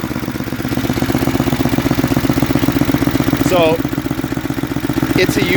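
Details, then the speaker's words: Snapper 8 hp 26-inch snowblower, fully warm, carburetor tuned one and a half turns on high and low speed: quick, even single-cylinder popping with no misses or surging; normal idle, old used carburetor running about 90–95 percent. "all right so it's plenty warm I tuned it it idles great and it throttles up really good too"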